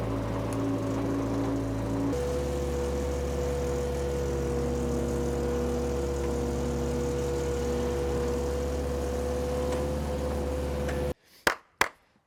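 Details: Power Trac 1850 diesel tractor with the mower engaged, after all fluids were changed. Steady, even drone with one small step in speed and no knocks. Normal diesel running, tractor and mower running great.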